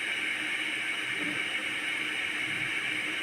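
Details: Electric kettle being repaired for a no-power fault: steady soft hiss with a faint low rumble underneath as the water heats; kettle heating normally.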